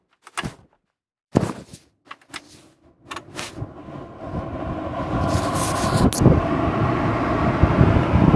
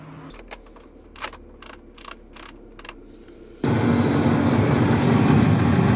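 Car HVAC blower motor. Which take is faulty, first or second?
second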